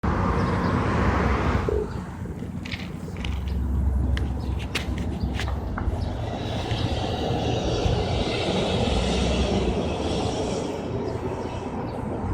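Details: Old Ford truck: long steady cranking at roughly four turns a second for over ten seconds without catching, a hard start with the cause unclear.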